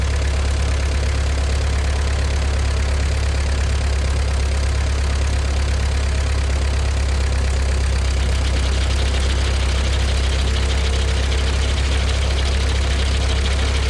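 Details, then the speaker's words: John Deere No. 5 sickle mower after filling the gearbox with about 1.5 quarts of gear lube; deep, steady drone with no knocks or grinding from start to finish; mower drive running smoothly. "Well, as you can see, it's working. That's good."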